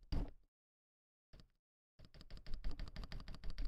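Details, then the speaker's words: Akko ACR Pro 68 keyboard, assembled without case dampening foam and not yet tuned much: sharp clacky keystrokes about five a second, each with a hollow rattling tail, and a hollow, chattery spacebar stabilizer. "It sounds hollow. It sounds very chattery. That's the only way I would describe a spacebar that is hollow."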